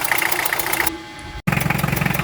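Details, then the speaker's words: Diesel vehicle at idle: sharp puffing tick on every firing, like gas escaping; leak was found at the injectors, not the injection pump as first suspected, with high pressure blowing past an injector seat in the cylinder head. "Nasa injectors pala ang singaw, wala sa injection pump. Ang hinala ko dati ay sa injection pump, ngayon nasa injector pala. So dun lumulusot yung high pressure."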